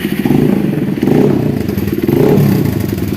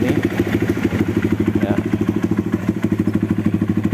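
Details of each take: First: Honda CRF150L after replacing the clutch shaft bearing, which had caused rough clutch-side rattling: revs rise and fall smoothly with no clatter from the clutch side. A sharp puffing tick comes from a leaking, poorly seated exhaust joint gasket. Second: Honda CRF150L at idle: rough, uneven clatter about three times a second from the clutch side, quiet with clutch pulled, loud when released; clutch hub wobbles, worn clutch housing shaft bearing, engine to be split to replace it.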